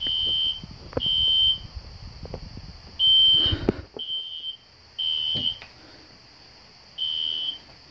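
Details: System Sensor SpectrAlert Classic horn strobe set on low volume, heard in the background with no control panel: steady high-pitched half-second blasts repeating in a regular pattern; alarm horn working normally.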